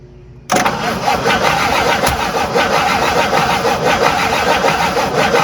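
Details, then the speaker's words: Abandoned 1958 Buick Super engine cranking fast and steady without catching; the distributor was found 90 degrees off, fixed by finding top dead center and moving the plug wires. "okay found out that problem we were 90 degrees off on the distributor so i just did the right thing and moved all the wires"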